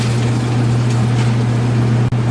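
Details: KitchenAid (Whirlpool) electric dryer whose drum had stopped tumbling, just after fitting a new belt, rollers and tensioner: even, steady low hum of the drum turning with no squeal, thump or scraping; belt drive running normally.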